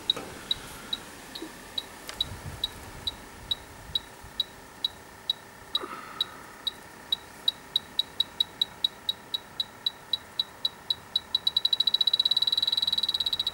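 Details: Dry air generator that lost its refrigerant, electronic leak detector at the evaporator coil, outdoors in wind: high ticking beeps speed up steadily until they merge into a solid tone, at the same place on both sides. Refrigerant leak detected.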